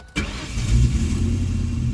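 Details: Ford Mustang (1994-2004) after fuel pump replacement, pump primed several times before start; brief crank, catches instantly and settles into a steady even idle with no misses or knocks, healthy start.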